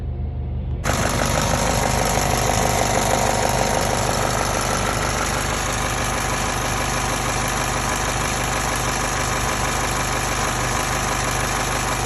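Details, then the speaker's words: 2007 Honda Civic Si at 292K: fast, steady metallic clatter at idle, about three beats a second, that then goes away. The owner suspects the valves, not confirmed. "Alright, well, I think it might be my valves. Ooh, sounds horrible."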